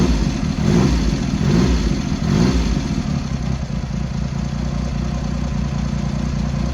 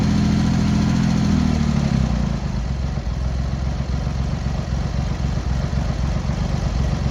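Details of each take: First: Triumph Hurricane X75 triple after refitting rebuilt carbs, richening pilot screws and correcting left carb adjustment, not fully warm; settles from blips to a fairly even steady idle with soft low beat, slightly rich. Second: Cold Triumph Hurricane X75 triple, rebuilt carbs just refitted, on throttle stop with choke on, pilot screws thought about 7/8 out: steady hum turning to lumpy, uneven tickover; carbs likely need tuning and richening, suspected not confirmed; uneven idle.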